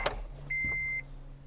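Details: Honda Integra Type R, cheap neglected UK car with possibly weak battery, at key-on before first start attempt: low steady buzz under two dash chime beeps; normal fuel pump priming.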